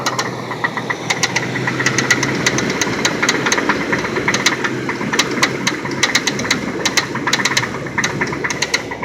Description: this is my 95 lincoln towncar that has one hell of a rod knock on cylinder 3 this car has 326k miles on it but i am going to be putting another motor in it so hopefully it wont be sounding like that much longer.